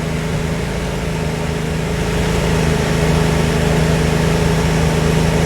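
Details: Nissan B14 four-cylinder at idle after diagnosis of a rough-idle misfire; even, steady beat with faint hum, no stumbles, misfire gone, running clean.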